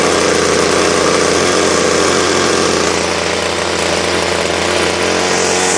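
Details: Ryobi two-stroke line trimmer that won't rev: a steady, muffled buzz that never climbs in speed, with heaps of smoke at the exhaust. Bogging suspected from an incorrect, over-oiled fuel mix.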